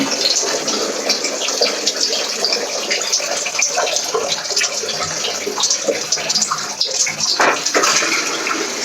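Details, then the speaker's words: First test of new waste pipes for an upstairs macerator toilet: water poured down gushes and splashes steadily through the pipe with no gurgling stalls or knocking; the new drain is flowing freely. "I'm chucking it down here so I can hear it wiggling away"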